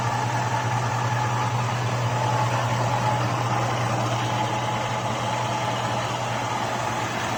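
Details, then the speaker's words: 2002 Chevrolet Avalanche LS 5.3 V8 with new stock GM lifters replacing Comp Cams Evolution, 5W-30 synthetic: steady idle with a light regular tick about twice a second, seemingly quieting as lifters run in; noisier when hot. "I think they are getting just a little bit quieter as they run in"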